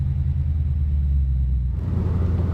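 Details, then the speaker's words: Deep, steady V8 rumble from the 6.0L LQ4 LS engine of a 2001 GMC Sierra 1500 C3 at the start of a road test, with no rattles or knocks; engine runs healthy after heat shield and fender bracket rattle fixes. "Moment of truth. Surprised all the lights work too. Gotta love that sound."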